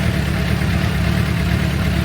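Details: 2006 Suzuki GSX-R750, over 5,000 km since last service, oil warming toward 60 °C before oil change: even, quick idle with steady low rumble, no ticking or knocking; engine running healthy.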